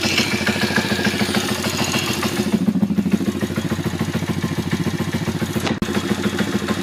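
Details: YX140 engine, right-hand (clutch) side: low idle with a rapid, uneven metallic knocking about three or four times a second over the engine beat, present only at very low rpm and gone when revved; source not pinned down.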